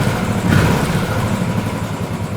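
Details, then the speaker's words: Royal Enfield Bullet/Classic 500 EFI single after new rocker arms and pushrod tubes: steady, even tickover with no hunting; the clunking noise is gone after the fix. "straight back to the same tick over not up and down"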